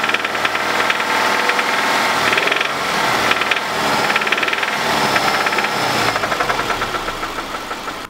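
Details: 2005 Subaru Impreza RS 2.5 boxer at idle: deep, fairly quick knocking hammers through, uneven but constant; rod knock, identified through research and by mechanics.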